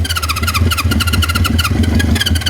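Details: 1973 Honda CB350 Four with new condensers, on starting fluid: catches and sputters unevenly for a couple of seconds without idling; the uncleaned carburetor is suspected clogged. Cause suspected, not confirmed.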